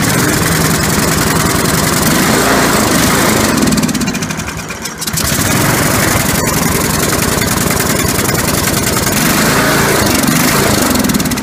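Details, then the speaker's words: John Deere Sabre mower with Walbro carburetor, just cleaned of a plugged passage: uneven chuffing run that sags and nearly stalls before recovering; still running rough, cleaning did not fix it. "well that doesn't seem to fix it and I cleaned up pretty thoroughly got the whole time there"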